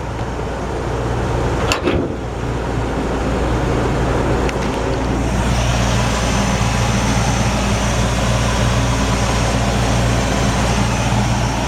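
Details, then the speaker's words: Old Ford truck, 302 V8 with C4 automatic, idling with hood open: smooth, even low rumble, no exhaust leaks, ticking or smoke; clean, healthy engine. "nice sounding engine clean and healthy no smoke"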